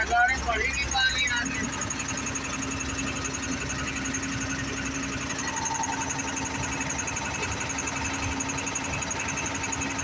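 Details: Tata BS4 CRDI diesel giving white smoke and an abnormal sound: an uneven knocking, roughly a few beats a second, under the steady idle hum. Cause unclear.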